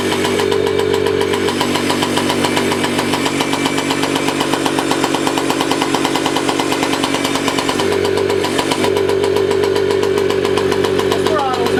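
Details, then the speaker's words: 1985 Yamaha QT50 two-stroke scooter at full throttle won't rev: carburetor slide/needle moving, big intake noise but no revs, no bogging or dying; steady uneven pulse stuck low in pitch; muffler blockage to be checked next. "full throttle it says but it doesn't go any ribs and it doesn't die or bog or anything it's just the needle's sliding the piston is moving in the uh carburetor with the needle you hear big intake but no reps"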